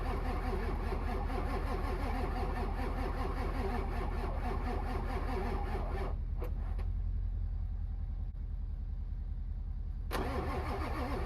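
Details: Truck cranked in winter: the starter chugs evenly at about two and a half beats per second for six seconds, never fires, then drops away; long crank without starting.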